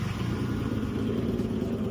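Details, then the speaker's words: J-swapped AWD 8th-gen Honda Civic idling after coolant lines were run and the coolant bled, engine temperature steady: even low idle rumble with a constant radiator-fan whoosh, no knocks or misses; normal idle with fans running. "All right, so we're back. I got the car idling. The radiator fans are on."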